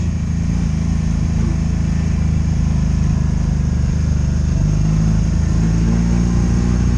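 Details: 2002 Honda Magna VF750C V4, warmed up, on its first non-stop test ride after it previously died when put in gear: deep, steady drone under load with no ignition cuts, surging or bucking; normal running.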